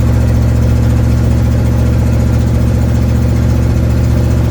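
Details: 1972 Ford Mustang driving home, phone in the dash, before repair: deep, loud rumble with a rapid puffing pulse about three per second under acceleration, from an exhaust leak.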